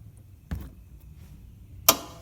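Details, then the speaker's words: 2009 Subaru Legacy front passenger-side sway bar end link, loose at the ball joint though the nut is tight: two sharp isolated clunks as the front end is rocked; worn end link causing front chassis noise. "the sway bar is loose on the end of that ball joint right there but the nut is tight and this makes the awfulest noise when you're moving the car around"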